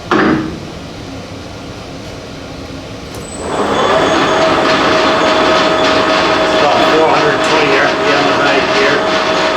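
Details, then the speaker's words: Monarch Merit lathe after converting its non-working DC drive to an AC drive; spindle run at about 370 rpm with conservative acceleration/deceleration settings. Quiet at first, then spins up to a steady hum, even tone, no knocks or grinding; works fairly well. "maybe i'll play with those as we go but all in all it seems to work seems to work fairly well"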